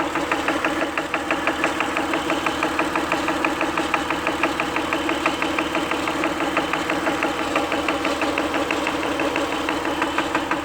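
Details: Acura at steady idle with crisp, regular light ticking about three per second over an even idle; source not pinned down; engine ticking at idle.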